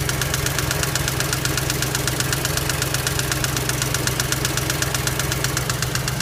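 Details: BMW X5 at idle: sharp, even knocking about four times a second over a steady idle; cause unknown.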